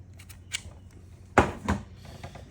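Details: Mercedes W211 electronic ignition switch (EIS), the new cloned replacement for a faulty unit that clicked and locked repeatedly: one sharp click and a softer click on key insertion, then silence, which is normal locking.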